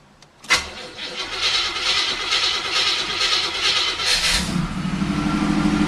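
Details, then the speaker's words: 1979 Hurst Olds V8 in garage, cold start after a few pumps of the gas pedal: brief cranking, catches within a second and settles into steady, even idle; normal cold start. "so couple pumps of the gas pedal and it starts up fairly quickly"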